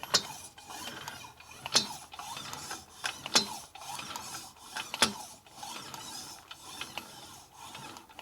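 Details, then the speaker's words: 1941 Harley WL 45 56ci stroker flathead being built: sharp uneven metallic clunks every 1.5 s from the rear cylinder near top dead center on compression, echoing through the valve train; cams suspected; intermittent internal clunk. "It's echoing up through the valve train, so it's something with the cams. It's not there every time though, that's the problem."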